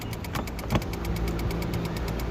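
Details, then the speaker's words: Honda Civic (2008–2010) after engine replacement, crank no start: fast, even ticking about eight times a second while cranking; caused by missing engine ground, stops when ground connected. "To connect with को लगाते हैं तो आवाज बंद हो जाता है"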